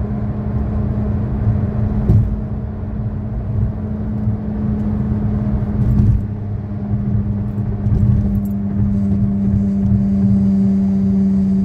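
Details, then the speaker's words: 2013 Chevy Sonic, 75,000 miles, driving: steady low drone under road rumble from a bad left front wheel bearing; the passenger-side bearing is new. "in the second clip you will hear the sound of a bad left wheel bearing while the passenger side bearing is new"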